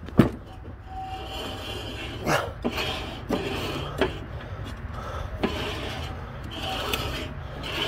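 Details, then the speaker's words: Troy-Bilt Bronco riding mower deck with the chewed belt removed, spindle turned slowly by hand: dry, gritty rasp with rough catches and binding; the spindle bearing is worn out and the spindle needs replacing. "all right yeah I'm already spindles if you listen to this that binds right there and this one's yeah this one's had it listen"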